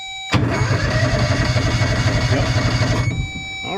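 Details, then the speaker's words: Kawasaki Mule 2510 auction find, electric fuel pump heard priming: starter spins the engine at about four even compression pulses a second for three seconds, never catching; cranks but does not start. "Well, it does crank over like they said."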